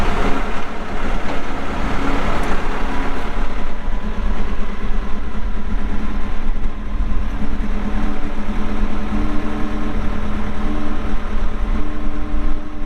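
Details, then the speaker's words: 2014 Kawasaki 65TMV-2 wheel loader with a pre-emissions 149 hp Isuzu diesel at 7,671 hours, working under load: deep, steady diesel rumble holding an even beat with no knocks or rattles; starts and runs good, hydraulics strong. "149 horsepower 7,671 hours starts up good runs good the Hydraulics are strong"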